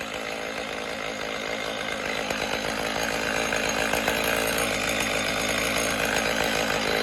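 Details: Stihl MS310 chainsaw after repair, run on oil-rich fuel mix: fires up and holds a steady, clean two-stroke buzz with no surging, rattle or stumble; healthy and well tuned.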